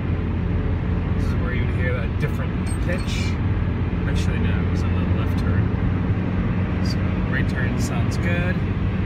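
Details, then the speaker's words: 1997 Honda Civic (D16Y7 engine) after replacing the failed driver-side rear wheel bearing and hub (SKF BR930033), driving at 65–70 mph and through turns: steady even road rumble, no growl or pitch change; repair successful, much quieter. "let's see how successful our repair was going like 70 65 don't hear any of that sound anymore it's much quieter"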